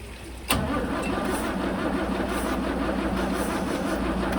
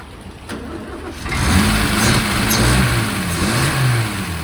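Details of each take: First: 1963 Mercedes W111 with mechanical injection pump, restoration start attempt with cold start connected and injectors ultrasonically cleaned: steady cranking for several seconds, never fires; fuel reaches injectors but they don't spray; crank no start. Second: 1963 Mercedes W111 with mechanical injection pump, at a start attempt after the injectors were ultrasonically cleaned and the distribution block cleaned. It cranks briefly, catches after about a second, then settles into a steady, even run with a light rev: normal running.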